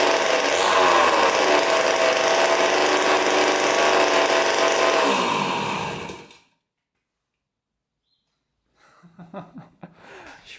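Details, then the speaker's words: 1980 Honda CR80 barn-find two-stroke, first start with fuel poured into the carburetor and no exhaust pipe: loud, fast, raspy crackle running steadily at high revs, then dying away. Healthy engine, just very loud without its pipe. "fired right up man sounds really good actually holy cow I think it's so loud though without the pipe too bad I don't have a pipe for it"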